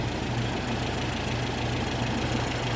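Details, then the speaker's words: 1973 VW Super Beetle 1760cc with dual 40 carbs, warm, throttle not yet connected, valves not yet adjusted: steady, even low idle with a soft regular beat and no clanging. Only minor valvetrain chatter; normal running. "This sounds good. It's quiet. It's not too loud. Little valve train shatter, but nothing that's not Volkswagen."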